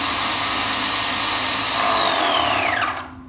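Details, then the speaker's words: Graco Magnum X5 airless paint sprayer after priming-problem maintenance, hose reconnected: steady high motor whine running evenly, then pitch falling away at shutoff; priming and pumping normally again. "you can see the machine is working again and this is the way you fix priming problems"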